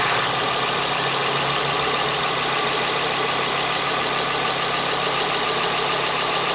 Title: Focus ST whining sound